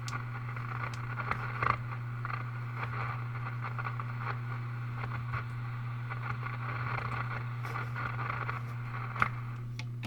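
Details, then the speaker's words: RCA Model 641 vintage radio at first power-up after restoration work, no antenna: steady low hum under soft hiss and scattered crackle while tuning with no station; the set is working normally. "well that's some noise out of the thing I'm turn turning the tuner a station there's a little hetr [Laughter] dining I'm tuning the knob to see if anything's going to happen there's no antenna on this radio so I don't expect to get anything but you never"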